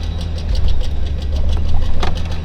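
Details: Mercedes W222 S-Class, heard from outside while turning the steering wheel: rapid sharp ticking over low road rumble, heard on both sides; CV joint clicking when turning.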